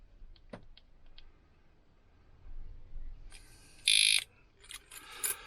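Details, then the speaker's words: Disc lock alarm on the van, locked on after a failed attempt to disarm it with the button and wrong key: a few faint chirps, then a sustained shrill beep and rapid high chirping bursts; alarm triggered. "That's it, locked on. And what had happened was, it's almost impossible to disarm this bloud thing. It's a pain in the backside."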